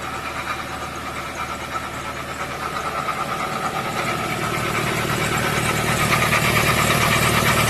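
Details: 2015 Ford Transit 3.2 diesel: a loud, rough idle with an uneven knocking chatter, about three beats a second, caused by a failing drive belt idler pulley. Fixed by replacing the pulley.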